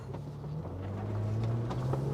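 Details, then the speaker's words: 2007 Toyota FJ, 288,000 miles, previously sluggish with no power and rough idle, no check engine light, after the fix found with a scope: full-throttle pull, engine note climbs smoothly and strongly, no stumble, almost barked a tire; normal acceleration. "Ooh, almost barked a tire. Feel like I'm a Mario Andretti. Woo! Got plenty of pep now."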